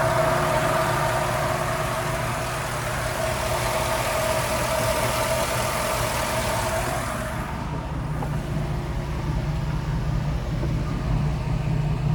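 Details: 1991 Toyota Land Cruiser HZJ75 with 6.0 LS V8 swap, hood open: steady, even V8 idle with a smooth low rumble and no knocks or misses; engine sounds healthy.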